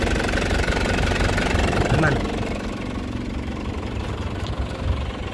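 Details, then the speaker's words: 2004 Isuzu Panther LS Black Panther diesel: steady, even idle clatter with no knock or miss. Only thin exhaust smoke is seen, put down to age; the engine is still healthy but the injection pump or nozzles need servicing. "Ya, faktor usia tidak bohong. Jadi, mesin ini masih sehat. Cuman ini perlu perawatan."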